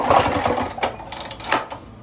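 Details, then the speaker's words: Two-stroke Lawn-Boy mower, will-it-run attempt with fuel poured into the plug hole: quick pull-start bursts spin the engine but it never fires; owner suspects a bad spark plug, spark tester then shows no spark. "I bet that spark plug's no good. I don't believe I have another."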